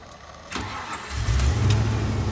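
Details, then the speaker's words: Range Rover Classic LSE soft dash after repair: a short crank, then it fires instantly and settles into a steady, even idle with no stumble or misfire. Normal quick start. "I just want to start it one more time just to show how good it is now and out quick it fires up with absolutely no messing around whatsoever"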